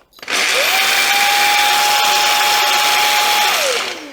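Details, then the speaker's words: Samsung Jet 90 Pet cordless vacuum, lightly used, larger turbo brush nozzle: loud, harsh whine with grinding hiss spinning up then winding down, a noise that suddenly appeared after one start; fault lies in the brush motor. "You can probably hear that loud noise that suddenly appeared after one of the subsequent starts."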